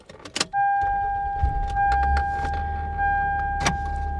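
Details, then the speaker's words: 2001 Toyota Camry 4-cylinder petrol engine holds a steady high idle around 2100 rpm, with a constant tone and scattered clicks, after coolant hose replacement; no vacuum leak found, and unplugging the coolant temperature sensor or IAC valve harness changed nothing. "That did not do anything. So, in each instance, the idle still stays really high at 2100."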